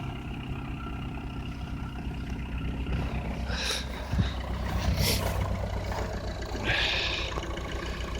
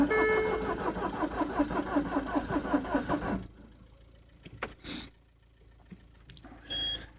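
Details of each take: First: Citroën C5 diesel, cold winter start after a jump start from a dead battery, on summer fuel: low, even clatter at a steady idle with no stumbles or smoke, plus some outside hiss. Normal idle. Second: Citroen C5 diesel, frozen in winter on summer diesel, jump-started with 600 A cables: starter cranks slowly and unevenly, about three beats a second, for three seconds without firing; glow plugs believed working. Cold crank no-start.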